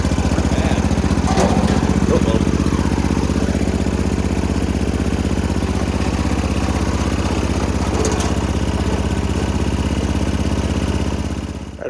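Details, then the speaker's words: Homemade 4x4 mini Jeep, just refilled with oil (slightly overfilled) before its clutch and belt work: steady even putter about four firings a second, low thump, no misses, knocks or hunting; normal idle. "Sounds pretty happy. It started pretty easy, so I'm good with that."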